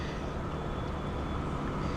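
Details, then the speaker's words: 2008 Humvee with 192,000 miles at auction, at idle: a steady low rumble with an uneven, stumbling low-end beat instead of a smooth pulse. One cylinder seems dead, a misfire that was there last time too. "It didn't run very well. We'll see if it's any better now, but I don't expect that it is. It was misfiring like crazy. I already feel a misfire."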